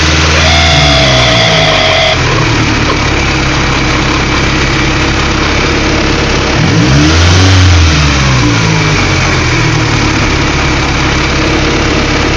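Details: Honda B16A engine with J1 transmission, idle problems, owner says motor shot; idle blips up and drops back, wavering unevenly rather than settling: erratic idle, cause unknown.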